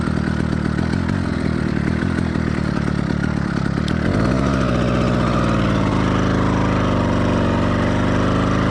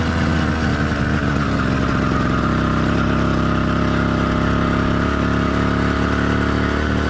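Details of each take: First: Two-stroke motorized bike engine, cold start on a cool day with choke briefly, now in warm-up phase; uneven burbling beat that skips and doubles up with wandering pitch; four-stroking from rich mixture, expected during first 5–10 minutes. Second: Warmed-up but not heat-soaked two-stroke motorized bike kit engine (single-speed, single-circuit carburetor): steady, even drone at constant pitch, no knocks or misses, pulling smoothly; normal warm running.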